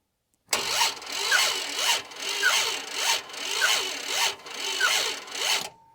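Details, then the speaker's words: Barn-find Monaco, sat for decades, next to no compression (rings suspected stuck), starting fluid added, newly fitted starter with a weak battery: slow, labored, sagging cranking that never catches; owner suspects poor starter engagement with the flywheel. "anyway it doesn't sound good battery's getting weak and our power just went out so I can't even boost it"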